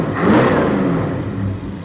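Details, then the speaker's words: 1929 Chrysler 360 with Edelbrock AFB, after straightening bent metering rod causing rich passenger side and fouled plugs: quick throttle blip, revs wrap up smoothly with no stumble and idle comes back down well; fixed. "Wraps right up. Idle comes down good. So that fixed that."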